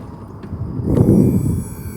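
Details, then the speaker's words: Single-clutch automated manual (Lamborghini E-Gear type), car parked in first gear, door opened: low electric pump hum swells for about a second then fades as the transmission hydraulic pumps prime, as happens every door opening; normal. "Now with this car, one thing I notice every time I open the door, you're going to hear the hydraulic pumps prime."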